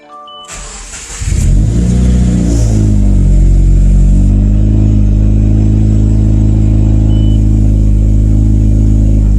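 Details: 2017 Subaru WRX after installing a Deatsch Werks DW300c fuel pump (part 9-307-1010), fuel system primed several times before first start: cranks briefly, catches cleanly in about a second, settles to a smooth, even idle with no misses. Healthy.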